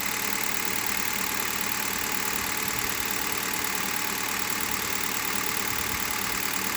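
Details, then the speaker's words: Hyundai Solaris cold idle after a cold start, after about 1000 km on green 5W30 oil that owner says reduced noises: steady idle with a light busy top-end clatter and no rhythmic knock. Owner satisfied; healthy. "вот такая работа двигателя меня полностью устраивает"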